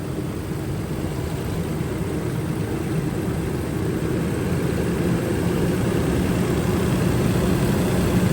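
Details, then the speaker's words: Nissan engine with ignition coils, P0300 random misfire, idling: unplugging cylinder four's coil connector causes no change, idle stays low, slightly uneven and steady, so cylinder four is already dead and misfiring. "okay most of the times when the cyinder cylinder is good and you dis activate or unplug the connector it's going to start messing up or change the idle if it's not working right it it won't do nothing it's just going to stay steady"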